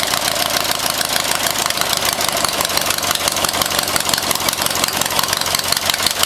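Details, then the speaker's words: New 14 hp Briggs & Stratton single-cylinder on a Turf-Power Plus lawn tractor during its first test run: a steady, fairly fast chug with a rattly top end, running continuously without stalling. "So this is the first test run of the new 14 horsepower Briggs & Stratton."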